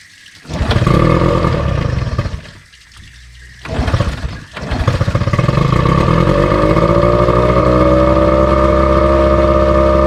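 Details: Outboard on a restored 1972 Glasspar (Larson) boat, on muffs, unrun since April, carburetor run empty for storage: catches after stumbling attempts, then an uneven, lumpy run; rough running, ran like a top in April, cause unconfirmed.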